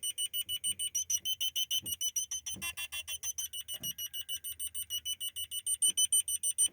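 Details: Honda Civic 8th-gen original rear parking sensor, buzzer in the rear parcel shelf, after fixing its noisy sound with a piece of plastic: fast, clear high-pitched beeping, about five or six a second, with no hiss or crackle.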